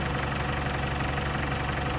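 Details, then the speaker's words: Isuzu D-Max diesel back together after a crank-no-start repair; the fault was thought to be in the 3-wire Hall-effect camshaft position sensor circuit, not the ECU. Steady, even idle clatter with no misses. Normal idle. "Maybe a bit of plastic to go over and a battery clamp to be put in, but other than that, it is up and running."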